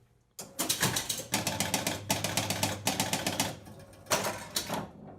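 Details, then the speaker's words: Gottlieb Sure Shot electromechanical pinball start sequence: rapid clicking as the bonus unit steps up to 15, then relay clacks as the ball kicks out; normal operation. "the bonus unit if you heard it count up to 15 goes to 15 then kicks the ball out"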